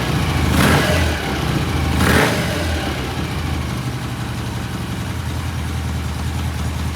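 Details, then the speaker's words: 1968 BSA motorcycle, cold start after new rear shocks were fitted: two quick throttle blips, then a steady, even low idle thump with no knocks or rattles; running healthy. "Sounds good. We're going to let it sit for a couple days, watch for any oil, and then I think we're ready to release this bike."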